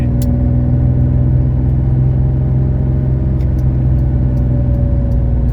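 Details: 1970 Porsche 911T flat-six with Zenith carbs, on its first road test in 12 years after 5 months of work: deep, steady drone pulling evenly, with no misses or knocks over road rumble. Normal running.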